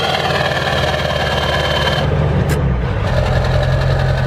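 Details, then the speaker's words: Ford diesel pickup, possibly on a 190 tune, after a fuse replacement: steady, even diesel clatter at high idle with a smooth low rumble and no misfire, though it sounds weak and idles low. "Also just sounds like it's idling really low. But I mean, like, that sounds like it used to. And you can hear on high idle, there's no misfire."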